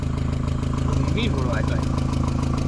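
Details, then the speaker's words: 2001 VW Jetta project car found with no oil in it. A light, fast tapping rides over the steady low idle rumble; owners suspect the valves need adjusting, unconfirmed. "it's still [ __ ] tapping pretty good ain't it huh it's still tapping"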